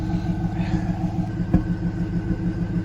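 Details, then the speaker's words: 1998 Pontiac Trans Am LS1 that sat about 15 years, warming up after fuel rail removal and injector cleaning for a suspected misfire; the exhaust smells rich. Low lumpy idle rumble broken by one sharp exhaust backfire pop, yet the car runs reasonably. "also has a Swip backfire now and I can see well the car still runs and uh doesn't run bad"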